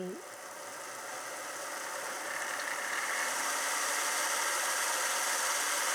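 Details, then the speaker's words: Class 47 model locomotive on DC with no decoder chip, after reassembly: thin whirring motor that builds to a steady buzzing hum of about four pulses a second; it runs fine. "sounds like she runs anyway so that bits of relief so at least we've got a working loco"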